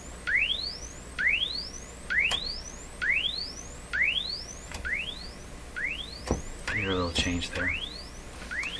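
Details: RCA Victor 67V1 console radio after replacing its paper audio capacitors, including the tone control capacitors: clean rising chirp tones about once a second with no pop, crackle or hum; volume about the same as before.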